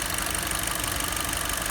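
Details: Kia Sportage 2.0 flex with engine misfire: uneven, lumpy idle with a quick irregular pulsing in the exhaust beat; a cylinder drops out from a failed ignition coil.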